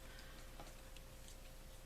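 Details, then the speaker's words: Fishing reel pre-service check with the drag tightened down: quiet, fast, even ticking as line pulls off, with no skips or rough spots; the drag operates smoothly as it should. "does it operate smoothly yes it does okay so the drag is doing what it's supposed to do"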